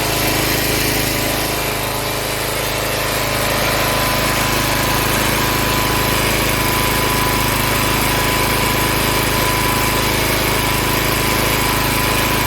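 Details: Log splitter Briggs & Stratton engine 126T02 after repair: carburetor cleaned, speed set to about 3100 rpm spec, valve underneath two turns out from seated. A steady, even drone under load with no surging or hunting; running much better.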